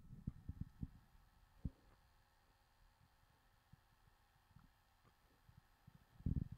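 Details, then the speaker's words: HP 15-ay163nr laptop, WD Blue WD10JPVX 1TB 5400 rpm hard drive in good health, during a CrystalDiskMark benchmark before SSD upgrade: soft irregular ticks and thumps in bursts over a faint hum; normal hard drive seek noise. "but also having an ssd will make your system quieter because you're not going to be hearing tha"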